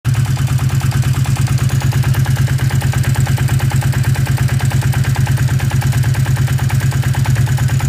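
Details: Yamaha XS 400 2A2 café racer, 1981, at idle: hard, even knock about three times a second with a clattering rattle over it; strange knocking, clattering noises, cause not yet found.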